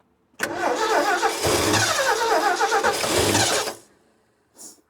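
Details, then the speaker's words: 1967 Ford F100, long without fuel, points just filed, fuel poured in: rapid cranking for about three seconds with occasional firing but no idle. A sticking carburettor float is suspected, and the starter relay later proves melted. "It's getting better. Wouldn't doubt if that float's sticking a little bit."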